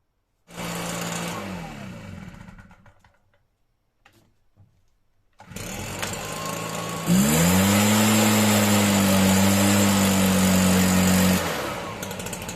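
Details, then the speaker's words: Stihl BR 340 backpack blower, a no-start fixed with fresh fuel; catches after a few pulls and settles into a steady, even fast-idle hum; runs good. "oh okay guys so it runs good that's it"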